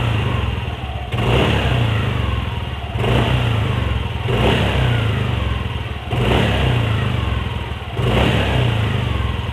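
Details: Yamaha NMAX with CVT cover refitted: repeated throttle blips about every two seconds rise and fall cleanly with no rattle or hiss on the revs; sound found cured after checking, cause turned out trivial.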